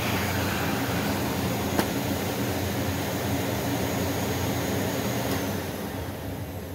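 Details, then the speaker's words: Rainbow PN-2 power nozzle brushroll after repacking bearings found dry after about 7 years: even steady whir, pitch rising as grease warms, earlier minor high-pitched squeal gone; normal brushroll running. "So as the grease and the bearings and stuff like that began to warm up, you heard, and I was going to say saw, but you can't really see it unless I use my gauge, you heard the pitch actually increase."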